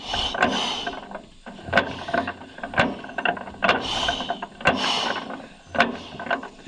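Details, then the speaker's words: 1936 John Deere A auction find, turned over by hand to test ignition: slow ratcheting clicks, each spark snap thin and faint, should fire every other click; timing thought slightly late; weak magneto spark. "Kind of weak though. Okay, it should fire every other time, obviously, when you hear it click."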